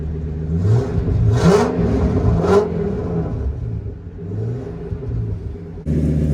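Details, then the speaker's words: 2000 Ford F350 dually V10 after an exhaust fix with a new tailpipe U-bend and tip, heard from inside the cab while revving. Deep rumble swells and settles with no rattle, puffing leak or drone; healthy exhaust under acceleration. "Sounds good. Sounds better. Now, rev it up a few times."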